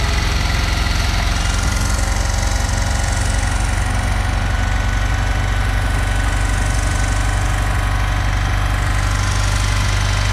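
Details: 1974 Dodge W200 318 V8 while water and ATF poured into carburetor: loud, lumpy rumble with uneven knocking pulses; rough running, afterwards wouldn't restart, plugs possibly fouled by ATF or gap closed by water.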